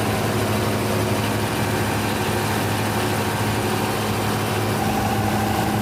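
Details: Denyo DCA610SPM diesel generator running after no-start repair, magnetic pickup and wiring tested good: drones evenly with steady low hum, no misses or knocks; runs smoothly.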